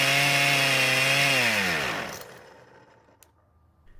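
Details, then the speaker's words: Poulan Pro pole saw after stuck engine freed and damaged flywheel key repaired; first start after priming carb, screams at steady high speed without dropping to idle, then stops; idle speed screw set way too high. "well that was kind of unexpected the good part though was that it started but the bad part was that the idle speed was set way too high"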